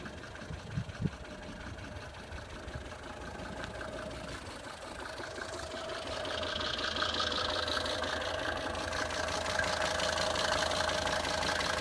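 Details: Mercedes 190D 2.5 Turbo diesel idling after a chain tensioner replacement, with a steady, fairly regular knock (about three per second) still coming from the air intake on the right wing.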